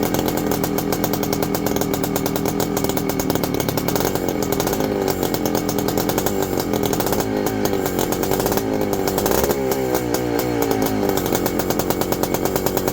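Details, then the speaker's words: Husqvarna WR 400 two-stroke first start after reassembly; harsh buzz surging and sagging as revs hunt, sounding rich and wanting to die; owners suspect flooding, may hold throttle wide open and crank; runs then stalls. "We're flooding for some reason. Might have to hold it wide open and crank it back in."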